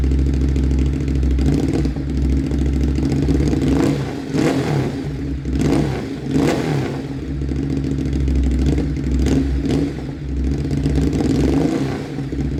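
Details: Motorcycle just fitted with an SC-Project CRT exhaust, joints sprayed with water for a leak check: loud open-pipe bark rising and falling through several throttle blips, clean return to idle, no popping or hissing leaks; runs fine.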